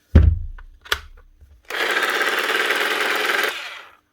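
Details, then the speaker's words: Bosch professional hammer drill, switched on before repair: rough buzzy whirr for about two seconds with little punch, then cuts out; burnt armature, replacement ordered. "You can hear her cooking. Right, we'll fix this one. All I've done was switch her on, realise it's an armature, and went and ordered one."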